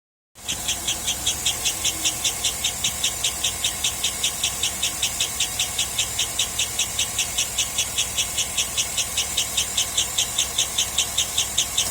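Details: 2007 Cadillac Escalade V8 running: sharp high-pitched chirps about two and a half times a second, speeding up with engine revs, still present with all belts removed.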